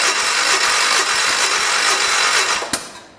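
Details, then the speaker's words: 1973 "112" after new points, coil, condenser and carburetor, on charger: slow rhythmic crank about three beats a second, one sharp firing pop then dies; owner suspects flooding, may need adjustment. "to be honest with you kindness sounds like it's flooded I almost wonder if it is"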